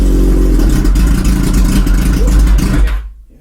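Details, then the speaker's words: Kawasaki ZZR1100 (ZX-11) four-cylinder, fired on the standard ECU before switching to an Ignitech standalone programmable ignition: starts, revs with a deep, even exhaust note for about three seconds, then shuts off cleanly; normal start and rev. "Okay, so we know that all starts. This should just turn over and start"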